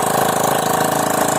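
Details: Honda Vario 125 idling after a radiator leak repair where coolant had mixed into the oil; water pump seal and block gaskets replaced. Quick, even idle pulses, no ticking or knocking, coolant circulating; normal idle.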